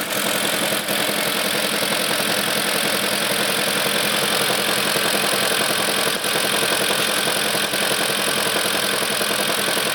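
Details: BMW E38 with M62 petrol V8 idling with a steady, somewhat uneven knock of roughly three to four beats a second; engine knock.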